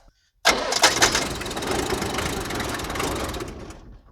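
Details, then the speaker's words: 1978 International Scout II with Nissan SD33 diesel, sat over 20 years, fuel system just bled of air; starter cranks with ragged firing bursts that never catch, very sensitive to glow plug heating. "look at that it did something all right let me give us some more glow plugs obviously this thing is very sensitive to glow plugs"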